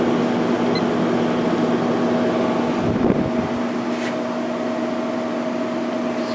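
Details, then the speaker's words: Sharp window air conditioner fan motor, on high speed (1.53 A, 150 W), after replacing its worn-out ball bearings, which oil had not helped: a smooth, steady hum with no rumble or scraping; healthy running. "I replaced the ball bearings in this fan motor because the original ones were completely shot. Oil did not help. So, let me start it up on high speed."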